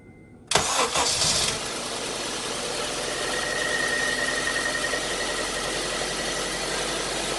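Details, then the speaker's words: Honda CR-V at idle: cranks, catches and settles into a rough uneven idle with a missing beat; a dead misfire, not fixed by swapping the coil pack or fitting new OEM iridium plugs. "it has a dead miss and uh basically this morning i pulled the coil pack swapped the coil pack to see if that was the issue that wasn't the issue"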